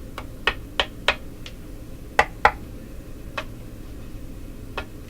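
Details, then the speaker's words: Northern Electric Model 8508 "Midge" five-tube radio, line voltage being raised from 105 toward 117 V: sharp, irregular pops and crackles from the speaker over a quiet hum; some component is failing. "Ooh, ooh, ooh, ooh, what is doing that? Something giving up the ghost. I think that's coming out of the speaker when I do that."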